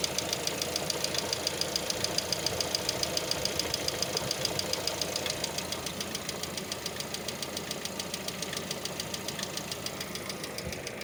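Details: Hydraulic lifter tick on a Lada Vesta at idle: fast, even, sharp ticking over a smooth idle, fading slightly; knocks while warming up in warm and cold weather, periodically disappears once the engine is warm.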